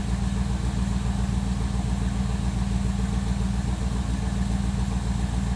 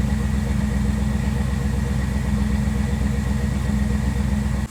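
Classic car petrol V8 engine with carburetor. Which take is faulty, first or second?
first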